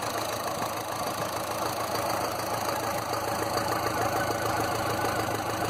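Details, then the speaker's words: Land Rover Series 2a 88 2.25 diesel, still warming up; earlier blue smoke was traced to oil overfill. Idle clatter with a slightly lumpy, irregular beat of about two pulses a second and grey puffs; owner suspects one injector, not yet tested. Uneven idle. "But as you can see here with the puffs of grey, one injector is not right. So I'm going to have to test which one it is."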